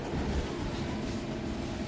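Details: Toyota Passo with codes P0420 catalyst, P0300 random, P0302 and P0303 cylinder 2 and 3 misfires, low pickup: low idle with uneven stumbling beat and irregular dips, a cylinder misfiring.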